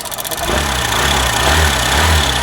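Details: BS6 motorcycle: engine catches into a busy idle with a light metallic clatter that stops when the throttle is opened and returns when it is released.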